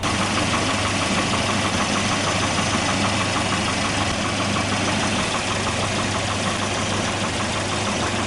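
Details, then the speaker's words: 1988 Volvo 240 (244) red block engine at idle: steady idle with a light, regular knock about three per second; owner hopes it is piston slap but is not sure. "So probably from here you can probably hear the piston slap a little bit better, or well, I hope it's piston slap. I'm not 100% sure, but to me it sounds very typical red block."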